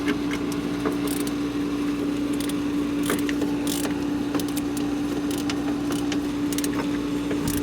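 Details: Hayward propane pool heater at start-up: a low hum with irregular grinding, rattling clicks. The inducer motor was checked and ruled out. The noise worsened over about two weeks to no fire, and the faulty propane gas valve was found and replaced.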